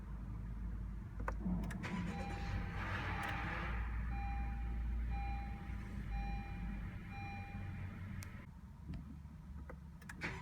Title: 2016 Honda Civic start up grinding noise